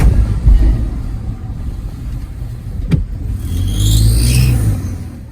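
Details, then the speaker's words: Ford F-150 / Lincoln Navigator 3.5L EcoBoost twin-turbo: high, rising whistle-like whine on acceleration, first diagnosed as turbo noise but actually a fluttering, leaking exhaust manifold gasket. "if you own a ford f-150 with a 3.5 liter turbo engine and you hear this whining noise on acceleration you may think it is turbo"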